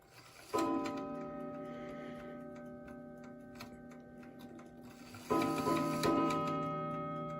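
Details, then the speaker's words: New Haven Clock Company Horace model clock being tested by moving the hand: two clear bell strikes about five seconds apart, each ringing long, chiming too fast and twice; the strike count doesn't match the hour set. "I like it it look sounds like I don't think it's supposed to chime that fast and it sure isn't supposed to do it twice"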